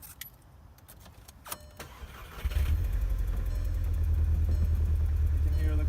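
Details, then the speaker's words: 2012 VW GTI 2.0 turbo, check engine light: cranks, then lumpy uneven idle, reluctant to rev; scanner shows cylinder 4 and cylinder 2 misfire codes, often bad ignition coils; fixed by coil and spark plug replacement. "can hear the car misfiring. Doesn't really want to rev."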